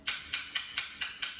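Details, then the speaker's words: Paintball marker after clearing a clog and fitting a new 9-volt battery: six crisp, evenly spaced clicks about four a second as the mode selector is clicked into burst, cycling properly. "you can hear that, and we click it again, and you get burst, and you get to click it. You gotta double click it each time."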